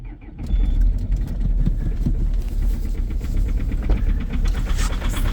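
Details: Diesel 2.0 HDi extreme cold start at -13°C after sitting all day, on the third glow-plug preheat: catches and runs rough and lumpy with hard, uneven knocks over a low rumble; cold-start combustion knock with strong smelly diesel smoke.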